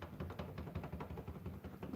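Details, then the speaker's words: Old bicycle's crank wiggled by hand: quiet dull knocks about five a second from play in the bottom bracket, loose spindle bearings rather than the crank-to-spindle joint; to be disassembled, cleaned, inspected and regreased. "That has nothing to do with the connection between the crank and the spindle here. It's the spindle itself on the inside. The bearings are very loose."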